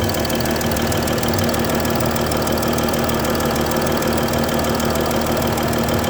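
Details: Mercedes S-Class 320 at idle: quick, uneven ticking chuff about three per second over the engine hum, from a bad injector nozzle gasket (leaking injector seal).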